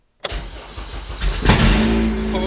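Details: Honda Civic EG with a K20 engine swap, first start-up with fuel pressure just under 30 psi, no fuel leaks, ECU plugged in and clutch down: the starter cranks briefly, then the engine fires right off and settles into a steady, even idle, a clean, healthy start.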